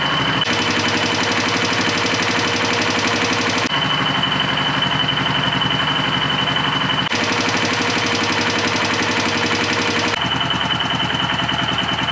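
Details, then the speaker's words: 2004 Yamaha Kodiak 400 quad, warm, after a top-end rebuild for a bent valve. The exhaust valve lash was tightened after a slappy sound; it now gives a fast, even single-cylinder putter with no top-end slap, a healthy idle. "have tighten up the exhaust valve a little bit let's see if that sounds any better oh much better"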